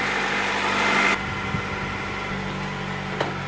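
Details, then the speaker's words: 1990s Honda/Acura after replacing distributor internal ignition coil: smooth steady idle with an even low beat, no misses or stumbles, no smoke; normal idle. "all right cars out the garage and it sounds like it's normal self alright the car escapes doesn't smoke what more could you want"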